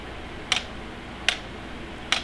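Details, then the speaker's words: Sainlogic wireless weather station rain gauge measuring in 0.01 increments: three crisp light plastic clicks about 0.8 s apart; internal tipping cup dumping water and resetting, normal operation. "you'll hear it clicking in there what it is is there's a little cup inside of this and i'll take this off so you can see it"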